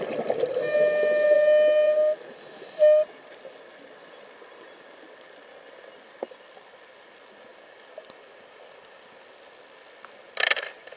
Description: My Mares Proton ICE making a funny "horn" sound while I breath between 700-800 psi while diving recently, admiring this strange looking jelly fish.